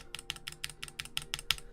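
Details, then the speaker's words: QK Alice Duo keyboard, stabilizers not lubed: sharp, hollow clacks with slight rattle on about nine presses of the stabilized keys; stabilizer rattle, needing lubing. "So if I unplug them, as you do here, 1 and 2, you can hear. Yeah, just like clacking."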